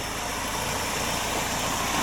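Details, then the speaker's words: 1993 BMW E36 318is after the lifter tick was fixed (a leftover piece of old oil pan gasket had been letting air in) and new motor mounts were fitted: quiet, smooth idle with an even hum and no ticking. Normal idle. "here now actually runs really quiet"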